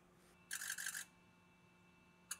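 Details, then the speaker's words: 2007 Ford F250 6.0L Power Stroke diesel, suspected injector fault (pending P0263 cylinder 1), AutoEnginuity injector buzz test, engine off and cold: quick rattling burst of all injectors then single crisp clicks one at a time; cold injectors sound fine. "let's try the injector buzz test so this is an interesting test what it's gonna do is it's gonna run the injectors and then run them one at a time so you can listen to them"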